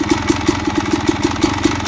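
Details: Suzuki RM250 single idling: sharp metallic rattle about five times a second riding on every firing pulse; source of the rattle unclear.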